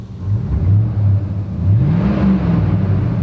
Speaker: it's got an excellent sound the exhaust has been modified too but the engine running pretty smooth is it shaking and when we rub it up we'll look out the back